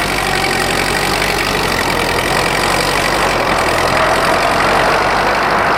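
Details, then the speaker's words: Rebuilt Ford tractor pulling in high gear on the driveway: even firing, smooth under load, no knocks or misses; burns clean after the rebuild, unlike owner's other oil-burning tractor. "definitely happy with the uh the performance i said you can see uh she burns clean unlike the uh the other tracker i've got"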